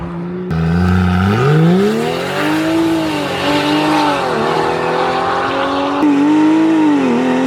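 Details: BMW X5 xDrive45e plug-in hybrid, stage 2 tune, OPF deleted, aftermarket valved cutout exhaust opened, comfort mode, not floored: loud booming note climbing and dipping with revs, swelling into droning resonance at low rpm; exhaust drone.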